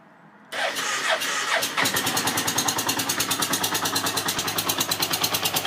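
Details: TDM 850 4TX motorcycle, started on the starter: the engine catches and settles into a fast, even ticking about three times per second over the idle; abnormal engine noise of unclear source.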